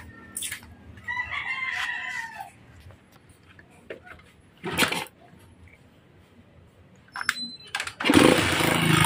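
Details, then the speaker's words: Honda TMX Alpha motorcycle engine, being worked on, starts and runs very loud with a harsh, clattering run: connecting rod knock from worn bearings; the engine is to be dismantled. "yan sobrang ingay po ng makina bale May tama po ang conect tting Rod mga idol"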